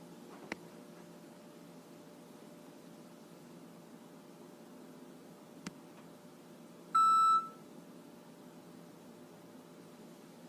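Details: Frigidaire gas range, model FPGF3077QF, 6 months old: its control gives a short beep every few seconds on its own, day or night, stopping only when power is cut and returning days later. The cause was a faulty main control board, which was replaced.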